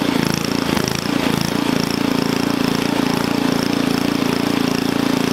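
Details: Onan engine for a small log splitter, after the carburetor governor linkage was adjusted: a fast, steady, even buzz at a high governed speed of about 3,400 rpm with no misses or surging. It runs smoothly, and the stop switch works.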